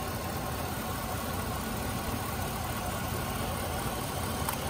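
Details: 2004 GMC Sierra 1500 5.3L petrol V8 idling rough from an ignition misfire. The number five spark plug wire rubbed on the steering column shaft, burned through and arced, so that cylinder fires only sporadically.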